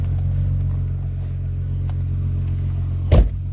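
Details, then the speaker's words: White Ford Ranger at idle after startup on a humid, foggy 50s°F day: a deep, loud, even rumble with a raw throaty edge and one brief bang, from an exhaust leak that is getting louder, thought to be toward the rear. "Yeah, you guys can tell it's got an exhaust leak. And it's getting kind of loud, so need to probably see where that's coming from and patch it up."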